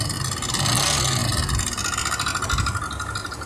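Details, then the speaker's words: New Yamaha NMAX 155 with CVT pulley and roller housing removed: steady idle with an uneven gritty clatter; rough engine noise traced to inside the engine, cause attributed to the cylinder head. "Coba kita perhatikan lagi suaranya jadi seperti itulah suara yang saya maksud suara kasar pada motor Yamaha nmax ini"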